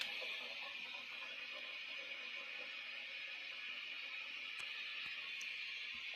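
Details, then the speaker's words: 1996 Peavey 5150 2x12 combo tube amp, all tubes glowing: steady staticky hiss like crashing waves with occasional sharp pops, worst at standby switching, with fluctuating volume; new capacitors and resistors then fitted. "Real staticky. Hear some popping, whatnot. All the tubes are glowing."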